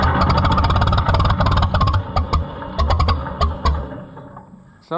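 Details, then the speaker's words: White 2-70 gas tractor on a revival attempt: long even cranking with the odd cylinder cough, never picks up to run, then stops. Cranks but won't start; possibly flooded, and timing suspected wrong, not confirmed. "I'm not convinced that the timing's right yet"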